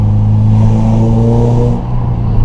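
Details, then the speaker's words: 2009 Subaru Impreza, warm, after fixing its loss of power and replacing the exhaust donut gasket: deep, smooth exhaust note rising and falling cleanly on the rev, no rasp, leak puffs or stumble; healthy and not too loud. "Wow, that sounds pretty darn good. I would be happy with that. It's not too loud. No, it's not too loud."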